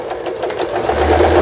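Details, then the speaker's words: Lion Mising-sold Janome JF1012 home sewing machine, long unused, after repair with burnt parts replaced: quick, even needle clatter at a steady pace with no knocks, grinding or hesitation while sewing overlock stitch, thread tension balanced; stitching normally. "요 오버록 스티치까지 이제 성공적으로 박음질이 돼서 나오고 있습니다. 아래실 위실 장력도 잘 맞고 있고,"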